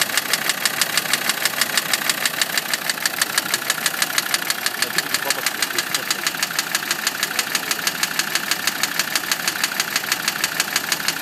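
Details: Land Rover Td5 diesel at steady idle with a sharp, very regular ticking knock about three per second from the engine; cause not yet pinned down.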